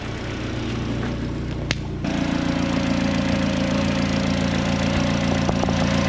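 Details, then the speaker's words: Turbo engine just reinstalled with new injector cups, hybrid oil pan and oil return adapter, bigger intercooler, first run in maybe a month and a half to two months: even smooth note stepping up slightly and holding steady, no knocks or misses; sounds really good. "Man, oh man, that sounds really good."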